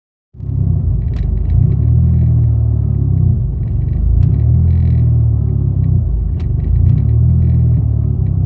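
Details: 2005 Dodge SRT-4, clutch and transmission accessories recently replaced: deep idle rumble that swells and sags roughly every two seconds without throttle, happening only sometimes; idle surge, cause unknown.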